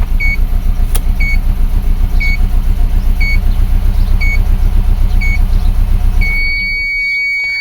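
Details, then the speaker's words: 2004 Subaru Forester EJ20 turbo with low power when cold in the mornings, no check engine light, at idle: uneven stumbling lumpy chug about four beats a second plus warning chime; clear misfire, worse than the day before, cause unknown. "And yes, it does have a miss. Oh, it's running really bad."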